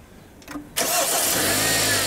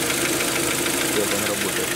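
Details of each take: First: Kia G4KD 2.0 petrol engine, just reassembled after liner sleeving repair for knock and scored cylinders, cranks briefly, catches cleanly and settles into a steady, even idle with no knocking: normal start and idle. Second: Kia Optima with 2.0 G4KD petrol engine before teardown and liner repair, idling on start-up with a hard, terrible metallic knock from scored cylinder walls letting the pistons slap.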